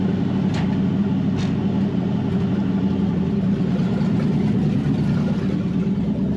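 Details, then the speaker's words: Wrecked 5.0 Mustang V8 bought as a non-runner, on open headers, all five gears and reverse working though second-gear synchro unhappy: loud, even, steady rumble with no knocks or misses; engine sounds healthy. "Hey, engine sounds healthy though. Open headers, but I mean, the engine sounds pretty okay."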